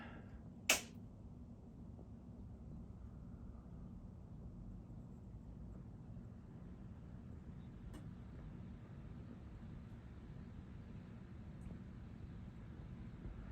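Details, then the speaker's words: 1950s ILG Model 83 exhaust fan with a replacement motor (the original GE motor burned up and hummed loudly): a click at switch-on, then only a faint, steady low hum with no rattle. It runs normally and quietly while moving plenty of air. "no it's just how ill fans are they move a ton of air with no noise"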